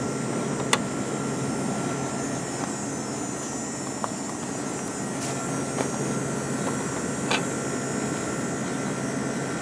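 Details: 1989 Carrier International Series window air conditioner with GE fan motor, compressor running and cooling, fan switched to medium and high: smooth steady low hum with a faint constant tone, no knocking or rattle, running quietly and well.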